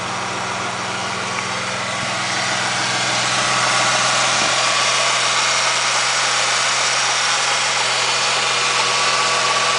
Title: 03 Mustang Piston Slap and Rod Knocking